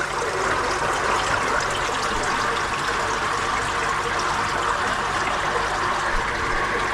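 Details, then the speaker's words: Koi pond drum filter refilling after the pump was switched off. A continuous, even rush of water with no gurgles or surges; it now fills much faster; normal flow. "So I'll just turn that pump off. Right, so you can hear it's filling up a lot faster now."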